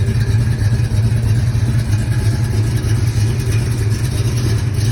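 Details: 1970 Pontiac cruising with Rhoads flat-tappet lifters and iron heads: an even light lifter clatter over a steady low exhaust drone, the normal sound for this setup.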